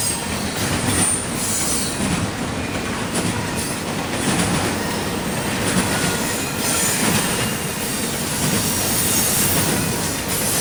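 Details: CSX intermodal train passing in Georgia: cars clatter past with a high, shrill wheel screech that rises and fades as each car goes by; wheel squeal.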